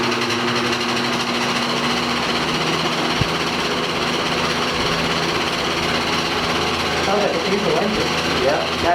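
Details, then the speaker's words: 1960s General Electric five-blade box fan, single-bearing motor: coarse chattering rattle over the hum at startup, the typical GE loose stator winding sound; otherwise works fine. "works fine otherwise um just has that typical GE uh loose winding sound when you first started up"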